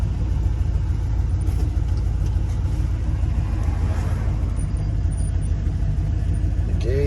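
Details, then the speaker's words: 1989 Ford dump truck, first drive after sitting a year: steady, even deep engine rumble under road noise while driving, with no knocks or misses; sounds healthy. "Not sure if you hear it, but it sounds good."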